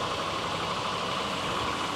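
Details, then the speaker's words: Land Rover Discovery with Buick-derived V8, 139,000 miles, first start on second try: steady, even idle with smooth rumble and no valve clatter; maybe a slight tick at first that went away, possibly oil pressure; running healthy. "Take two. No valve clatter. Sounds good."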